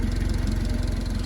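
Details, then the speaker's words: Honda Civic with a chopped exhaust and no cat: a steady, low burbling idle with an even rapid pulse, fairly quiet and smooth at idle, though loud under throttle. "Yeah, except it's got a chopped exhaust. It sounds really quiet right now, but you get on it at all, and it's like killing the whole neighborhood."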